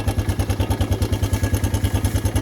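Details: Suzuki Quad Runner LT160 ATV single cylinder idling unevenly with a lumpy thump about eight per second, not smoking, running out of gas again; fuel in tank but suspected not reaching engine, owner suspects carburetor needs cleaning.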